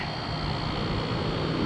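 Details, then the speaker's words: Camper rooftop air conditioner after the fan motor and condenser were replaced: steady, even hum with a thin high fan whistle, no rattles. Compressor and fan running normally. "all right sounds pretty good I hear the compressor on everything nice and"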